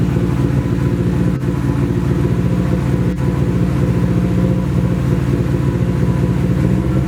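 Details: Nissan 240 with a newly installed SR20, at its first start. It runs through an open downpipe on the original old gas. It runs loud and rough, with an uneven, stumbling beat and two brief dropouts. Misfire; owner suspects bad gas, but the cause is unconfirmed.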